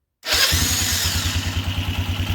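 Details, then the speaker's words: 2006 Polaris Phoenix 200 after starter replacement, battery reconnected, parking brake on: new starter spins briskly, engine catches at once and settles into an even, steady idle; normal cranking and start. "Okay, now we're going to try to crank it over and see if it cranks over. Alright, key on, parking brakes on, starter."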